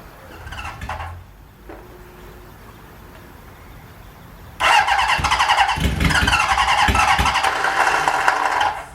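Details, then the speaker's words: 1977 Honda Hondamatic barn find, choke on, after checking points: quiet kicks, then a ragged burst of uneven pops and chuffs that never settles; trying but not catching, won't start. "That's a good sign. She's trying. She really is trying."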